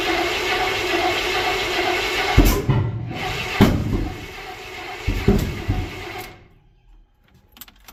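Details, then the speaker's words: Freshly installed 355 small-block Chevy in 1985 Chevrolet K20 square-body truck, first start attempt without throttle cable: starter cranks in uneven bursts but never fires; cranks no start, possibly no fuel in carburetor bowls yet. "it's making some noise out there let's go see what's going on got maybe we got some might not have had any uh fuel in the the bowls to pump down there"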